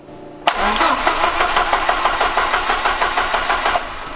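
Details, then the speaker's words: Ford Escort RS Cosworth hot after cutting out: 12 volts still reach coil and injectors, but even cranking beats about three a second never catch; warm no-start. "right so we're still getting 12 VTS to the coil and we're getting 12 volts to the injectors even low I'm guessing if I try and start it now it won't"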